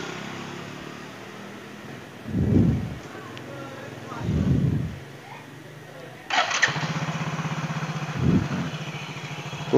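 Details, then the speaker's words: Yamaha Mio J scooter engine that earlier ran rough with a knock like a worn connecting rod, left side checked OK, now test-started: after a few cranks it settles into an even, steady putter with no knock; normal running. "keren Bro suaranya udah keren udah kayak suara motor kalau tadi suaranya kayak mesin.rx ya"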